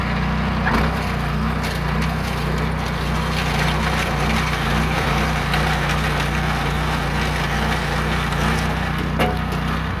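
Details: Meec SN210 snowblower small single-cylinder engine, previously sputtering and dying, after fuel tank screw fix: steady low drone under load throwing snow, crunch over it; runs smoothly.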